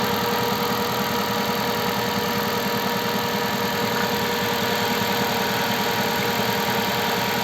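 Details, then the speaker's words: Cold start at -20°C, flashed software holds about 1400 rpm warm-up idle for roughly a minute and a half before dropping: steady, slightly raised even hum with no knock or rattle; normal elevated cold-start idle. "но довольно таки оборот сутки 1400 оборотов на это было у меня видео начать это дело я прошивал программным обеспечением это делал где то он должен в около минуты полторы поработать на повышенных оборотах а потом понизится"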